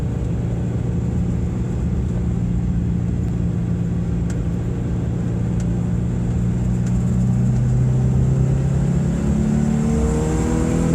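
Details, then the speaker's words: 1993 Subaru Impreza GC2 with the EJ18 engine, FWD, accelerating up an interstate on-ramp: the engine pulls through the revs with a deep, raspy, uneven puffing from a bad exhaust leak. "hopefully what you can get that sounded is the sound that this car makes it's not impressive it's not allowed you can probably tell there's a bad exhaust li right now together"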